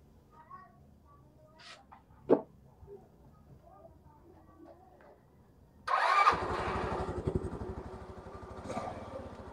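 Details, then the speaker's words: Engine rewired from AC to DC CDI with accessory line to the key switch: starts and settles into a steady putter about three beats a second, smoother with DC CDI; wiring correct. "So, kung mapapansin nyo, mas smooth at mas maganda gamitin yun DC na CDI. So, ayan, meron siyang umandar. So, yun, ibig sabihin okay na."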